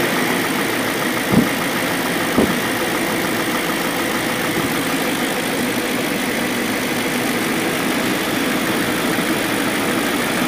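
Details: BMW M62B44TU V8 with stock exhaust, with INA aftermarket chain tensioner (BMW 11317531813) fitted: smooth, steady idle with no chain rattle, just two brief clicks early on. Timing drive sounds healthy.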